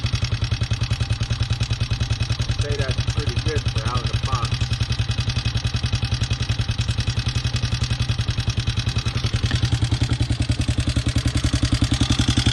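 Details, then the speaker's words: 2020 Hawk 250 single, first start after assembly with fresh oil: steady idle about three and a half beats a second with loud top-end clatter; owner unsure whether normal or he adjusted the valves wrong, will check them. "if it's supposed to sound that loud or if I've adjusted these valves wrong."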